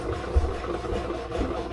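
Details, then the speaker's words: New replacement grey water pump (old Dometic TW24 leaked) on a Nordhavn 63 boat, running in auto: steady hum and whir, changing once fluid flows; a squeak is heard from the duckbill anti-siphon valve on the discharge side. "You can hear the difference in the pump when it started to get fluid going through it."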